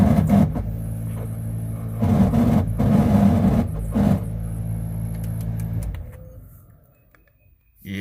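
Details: Squarebody Chevrolet truck heater blower motor: steady droning motor hum for several seconds, then winds down as it shuts off; rough, noisy blower motor to be replaced with a new one.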